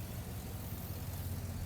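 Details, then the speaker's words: 2000-2007 GMC/Chevy Silverado 2500HD 6.0L V8 after fly-by-wire throttle body replacement; smooth, even idle rumble with no misses, knocks or hunting; owner says engine sounds good, no check engine or reduced power warning: normal idle. "Engine sounds good. Check the dash. Woohoo!"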